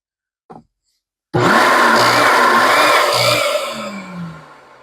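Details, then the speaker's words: Rug Doctor Mighty Pro X3 after solenoid pump kit replacement, toggled between carpet and tools modes with a hand by the pump: motor kicks on with a loud steady high whir, a faint buzzing pump pulse underneath, then winds down; motor and pump run normally. "what I was doing is toggling the machine between carpet and tools carpet and tools and you could hear the motor comes on and then the motor and the pump we can hear the difference I clearly hear and feel the pump is running that's great"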